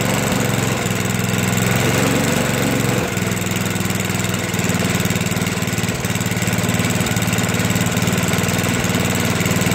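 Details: Toro 421 snowblower, unstarted for about 2 years, after cold start with fuel valve on: steady, even small-engine putter at constant pace, no misses or surging; normal running.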